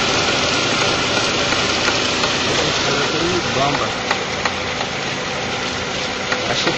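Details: Honda Fit idling with AC switched on, noise changes when compressor engages: rough hissing, gritty whir; front of AC compressor worn from bad bearing, compressor previously repaired, replacement needed.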